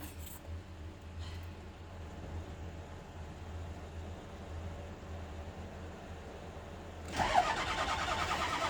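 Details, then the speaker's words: Bus with a 6.0 diesel: the starter cranks evenly at about 200 compression beats a minute for seven seconds, never fires. Battery fine, fuel reaching it, unburned diesel smoke from the exhaust: crank, no start. "it's turning over. Oh. Got plenty of juice. Okay. There's fuel coming out."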